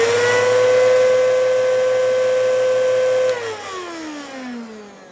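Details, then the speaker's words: Bissell CleanView vacuum, not clogged: steady high, strained, hollow motor tone that winds down after switch-off; motor likely worn from drywall dust and insulation exposure, probably near the end of its life. "it sounds like it's clogged but it's not and i know that because i just did a separate video servicing this and cleaning it up and of course i got it dirty again but oh well the motor in this has uh been exposed to drywall dust and what looked like insulation padding so it uh i think it's just about done"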